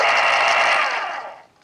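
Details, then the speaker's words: 1980s Panasonic KP-110 pencil sharpener motor after oiling, following damp-basement storage: clean, even whir fading smoothly over about 1.5 seconds after switch-off with no scrape or rattle; normal spin-down after lubrication. "sounds exactly like it should and it spins down nice it actually has a moment or so of spin down"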